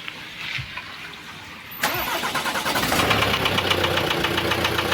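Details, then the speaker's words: 2022 Renault Master 2.3 diesel, 150,000 km, stalled on highway; started with camshaft sensor plug removed; runs with hard regular knock about four a second under diesel clatter, first thought bearing shells. "начали заводити його без тої фішки і начали слухати, що стукає щось в моторі. Стук прям такий наче як ото або вкладищі, або що."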